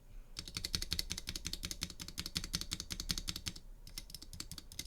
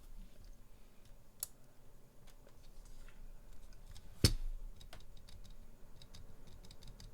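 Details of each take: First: here i have a pcb with some duroc stabilizers on the space bar you can see that it's fairly rattly Second: Durock/Everglide spacebar stabilizer after modification, not yet lubed: a few soft muted presses with a clean dull thock, no metallic buzz or rattle; rattle dramatically reduced, like an original Cherry stabilizer.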